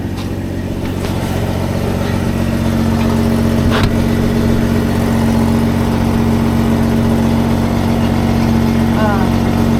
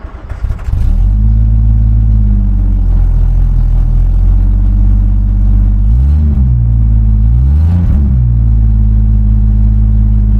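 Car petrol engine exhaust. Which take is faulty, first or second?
second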